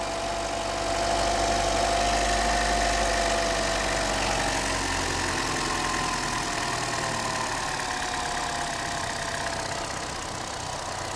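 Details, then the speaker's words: Chevy Trax/Cruze petrol engine after a temporary taped fix for a misfire: the idle holds steady and even with no stumble. Before the fix the engine was jerking all over. "sounds perfect it is running good again before that motor was jerking all over"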